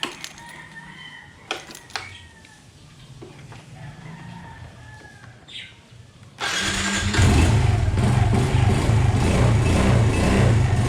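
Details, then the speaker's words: Suzuki Smash 115, warmed up every morning and afternoon and started without choke. After one crank the single fires at once and settles into a low, even idle thump, a normal cold start. "bomba lang. Diba mga paps, 1 click lang, okay na."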